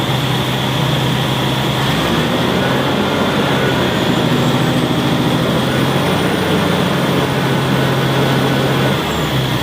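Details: Caterpillar C9 diesel engine at idle: heavy, uneven, stumbling beat from an injector misfire.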